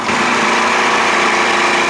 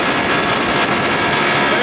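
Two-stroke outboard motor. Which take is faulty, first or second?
first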